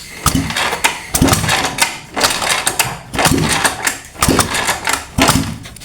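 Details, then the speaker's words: Honda Vario 125 that stalled after washing, exhaust removed and ignition off: uneven whooshing kicks about once a second with no firing as the engine is kicked over to purge water from the combustion chamber. "Nah, dengan kondisi knalpot terlepas, sekarang kita engkol sampai kering Pak, sampai benar-benar kering di ruang bakar."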